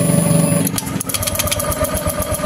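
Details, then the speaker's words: Honda Vario 150 scooter, no ignition: starter whirs, engine turns over with quick even chuffs but won't start; original coil gives only small spark though resistance seemed fine, coil faulty. "Nah kalau kalau koil ini kita tempelin ke masanya sini ada setrumnya tapi kecil kan ya tetapi saat kita pasang e kita dekatkan ke businya motor enggak mau menyala ya"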